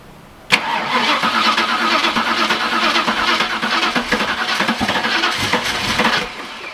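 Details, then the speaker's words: Holden VN SS Commodore 5.0L V8 that sat for years, with a new in-tank fuel pump; fast even cranking with a few ragged firing bursts that never catch. Owner suspects it isn't picking up fuel because the car sits unlevel. "What I'm going to do is put it down on the ground to level the tank out, so hopefully it picks up fuel, because I think that's going to run."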